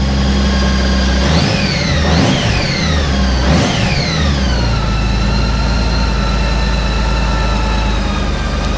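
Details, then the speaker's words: Honda Goldwing 1800 flat-six just after an oil and filter change: it catches, blips up twice, then settles into an even, smooth low idle with no ticks or knocks, sounding smoother than before. "I can hear the difference in that just with changing the oil. It sounds so much smoother."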